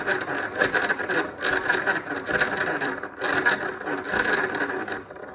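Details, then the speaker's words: Original Roban Superscale helicopter compactor gear set, removed after 10–15 flights, lubricated, shafts with no slop: a rough, gritty rasp that surges and fades as the gears turn; grinding from a pinion-to-main-gear tooth mismatch with almost no lash. "Now, there's no slop in these shafts. They are solid as a rock. So all that noise is coming from the gear mesh."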